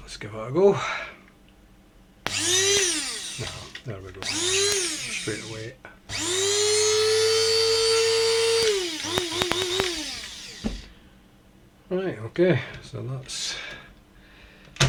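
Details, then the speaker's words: Tefal coffee grinder that previously only hummed, after freeing the seized motor shaft under the base label: short bursts then a steady, even high whir, no buzzing or labouring; motor spins freely and normally. "It's clearly spinning away just fine. Um, all right. A nice little quick fix on that one."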